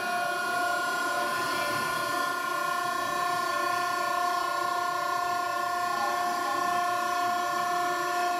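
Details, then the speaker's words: Fixed-displacement pump hydraulic power unit, 10 hp motor at 6 GPM, 12.5 A full load with 1.25 service factor, relief valve backed down from about 2650 to 2400 PSI after air bled out: even steady pump hum, no surging or cavitation; running normally. "then set our relief there so right now system sounds good got the air out"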